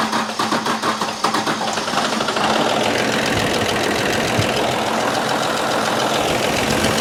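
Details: 1995 Dodge 12-valve Cummins diesel, first start after refitting the injection pump that had been left off: clatters to life, then builds into a hard, steady roar that keeps climbing instead of settling to idle. Diesel runaway.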